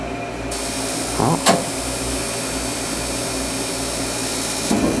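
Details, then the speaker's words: Shop gas heater, 50,000 BTU, first fire in a cold shop after fitting new exhaust pipes: steady fan rush, then a sharp ignition tick and soft whoosh as the burner catches and keeps running smoothly. Normal burner ignition. "hey she lit hear that that's good all right we'll let her start up here hopefully she kicks out some good heat"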